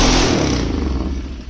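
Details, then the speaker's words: Polaris Trail Boss 330 quad, jumped, starting fluid sprayed into the carb at wide-open throttle: a sharp, loud burst of firing that dies within two seconds; spark and compression present, fuel delivery at fault. "all right well hot dang she's going to be a runner believe it or not that was just a little bit of starting fluid in there"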